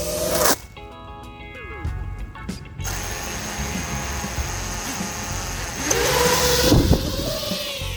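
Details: Self-built 5-inch FPV drone (Jeno 5.1 frame, JHEMCU RuiBet 55A BLHeli_S ESC, F7 FC, T-Motor motors) in flight after the motor bell-ringing noise was fixed: clean steady motor whine with stacked even tones on throttle blips, no ringing or stutter; motors healthy.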